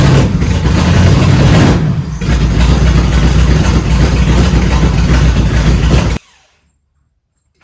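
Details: 1971 Dodge Charger Super Bee 383 Magnum V8, cold, after a valley pan change for a suspected intake leak: lumpy, uneven idle and revs before shutting off. Still runs rough; owner suspects it's out of time and plans to adjust a screw.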